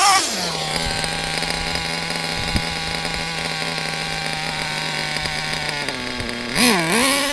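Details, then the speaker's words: Warmed-up nitro RC engine buzzes high at idle, then sags and surges with a two-stage idle and low end. This comes before leaning the low-speed needle, which is set rich. "you can uh listen to how it's uh two staging and it's idle and the low end very"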